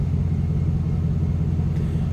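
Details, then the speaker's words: 2005 Chevrolet SSR, stock 6.0 L LS2 V8, no warning lights, heard from the rear at the tailpipes: deep, even idle rumble with steady pulses. No aftermarket exhaust; no misses, ticks or knocks, a healthy idle. "Nice little rumble coming out of that LS 2 engine. Again, 6 liter."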